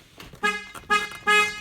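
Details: Car horn tested after swapping relays to check the circuit: three short, clear honks at a steady, full pitch; horn sounds normally.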